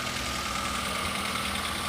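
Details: Daihatsu Gran Max after new cylinder head and new water pump (leaking pump caused overheating), first start after install: smooth even idle, soft steady hum, no knocks or ticks; runs cleanly.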